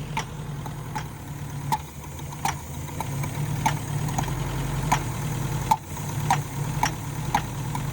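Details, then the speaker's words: Abandoned Mercury Capri Turbo RS, turbo four-cylinder, first run in 23 years, smoking from carburetor, being run out of gas: violent, shaky, rattling rough idle with a sharp tick about every three-quarters of a second; owner suspects a stuck intake valve. "That's pretty shaky. That was violent. It rattles."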